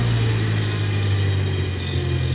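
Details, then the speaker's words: Tractor engine idling low and steady with no stumbling, hunting or dying out, started without choke after the carburetor jet was cleared; previously died when idle was lowered. "Much better. Yes. And it's not dying now when I put it down here. It was dying earlier when I was lowering the idle."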